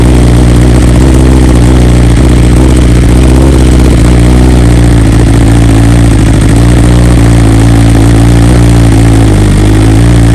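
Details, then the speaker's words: 2020 BMW S1000RR (K67) cold start, unstarted since return from the dealer where 2 faulty ignition coils were replaced under warranty and software updated: fires cleanly and settles into a steady, even cold idle, no misfire or stumble; normal cold start and idle. "So obviously the bike's still cold, hasn't been started at all, so we'll start it up and then you can see how the real cold start sounds now since the coils have been fixed."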